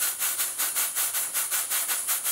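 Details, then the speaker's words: Steam pump built by a friend, running on steam: quick, crisp chuffs about six a second, evenly spaced with no skipped or doubled beats, like a locomotive; the valve events are even and it is running normally. "It sounds like a locomotive. It does, yeah."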